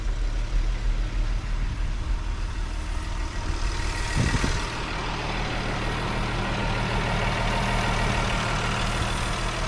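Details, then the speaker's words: VR6 engine in a Jetta wagon with 152,000 miles idling with no exhaust fitted after a dead battery; low, steady, surprisingly quiet idle with an even pulse and a brief clunk, running fine. "it's funny how quiet this engine is with no exhaust on it but then how like The Wookie comes out of it we put an exhaust on it"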